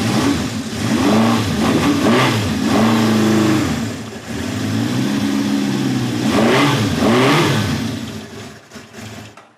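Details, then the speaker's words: 1971 Honda CB750 K1 (built 7/70), original, about 18,000 miles, hard to start with suspected carb trouble, on a stand, choke off and still warming up: uneven, lumpy note that sags between blips and won't settle. Rough running, will not idle. "choke is off by the way yeah it just does not want to idle"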